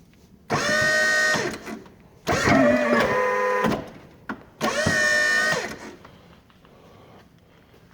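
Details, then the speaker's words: Boss V snowplow hydraulic pump motor at about 22 degrees after sitting outside at -20: three short runs, each a steady whine bending under load, no chatter since greasing the motor end cap. "it's like 22 degrees or so and I haven't heard this thing do the motor chatter since I greased it"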